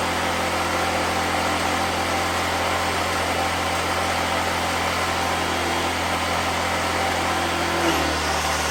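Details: 2014 Black Max generator (97 hours, carb work after running issue), cold weather: steady, even drone with no misses or surging, holding speed as grinder load comes on near the end; runs healthy.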